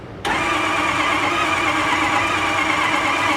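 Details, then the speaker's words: Ford F250 6.0L Powerstroke diesel, towed in, won't start: starter spins fast and even with no compression beats and never fires; heavy crankcase pressure at oil cap, compression lost. "but when when you crank it it cranks very fast like it does doesn't have any compression and in fact that is the problem"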